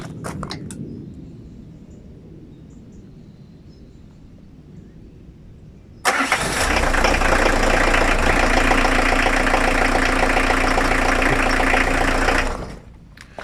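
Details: 1.9 diesel that previously would not start: cranks briefly, catches at once and settles into even idle clatter before shutting off; a bad contact in the glow-plug preheat box is suspected as the cause.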